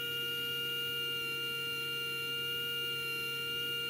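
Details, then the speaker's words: Small motor measured with a CleaveTech RPM strobe tachometer at about 28,300 rpm gives a clean, steady high whine near 470 per second with slight fluctuation. The motor runs normally. "you can hear the motor fluctuating a bit but i'm getting pretty close there 28 300."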